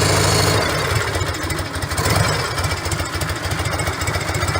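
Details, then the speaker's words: Harley-Davidson V-twin idling after repacking empty mufflers with fiberglass: deep loping idle about 3.5 pulses per second, mellow and even, no rattles; noticeably different from before, healthy. "Anyway, there's a noticeable difference from what it sounded like before. I like it. It's mellow."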